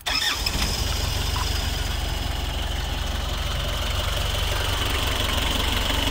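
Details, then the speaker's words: 1995 Isuzu Elf Outback Express diesel camper van, started after waiting for the glow plug light, in neutral; cranks and catches at once into an even clatter with no misses, a normal cold start. "Turn it on so y'all can hear it. You know, for diesels, you gotta let that little glow plug thing go away."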